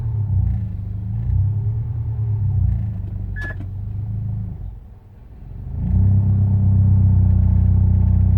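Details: Proton Inspira engine on a cold start: deep, uneven idle rumble with a dip then recovery, knocking or misfiring until it warms up, after which it runs fine.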